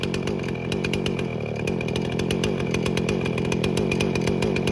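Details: Free Husqvarna 455 Rancher chainsaw, unrun for about 3 years, revived with carburetor cleaning and repair, cutting limbs: screams steadily at high revs while cutting, clean and even with no bogging or sputter; running healthy.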